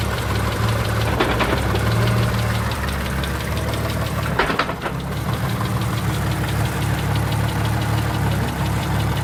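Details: Mitsubishi 3000GT VR-4 idling steadily with a heavy low thump near four and a half seconds, a driveline clunk when letting out the clutch.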